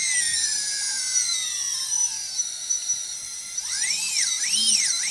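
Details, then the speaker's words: UBAD Inversion DX 250 quadcopter, all four T-Motor 2206 2000KV motors with DAL 6040 props and UBAD 20A ESCs running maxed out at 180; high smooth jet-like whine swooping with throttle, motors responsive; clean, even, healthy. "so now with all four running let's hear the sound now we are maxing out at 180 it's really quite testing it sounds just like some jet engine"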